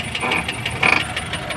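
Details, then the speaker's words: Maruti Suzuki Ertiga petrol taxi: quick dry ratcheting clicks and creaks from the left front when steering right, gone when lifted; suspected steering rack or strut top bearing, found to be damaged strut top bearing, replaced. "इसी आवाज को करना है find out क्योंकि जैसे ही गाड़ी ऊपर उठा देते हैं आवाज आना बंद हो जाती है ठीक है दो ही चीज हो सकती है या तो य स्टीयरिंग रक है इसकी मूवमेंट हो रही है ठीक है या फिर सोकर का जो ऊपर का बेरिंग होता है"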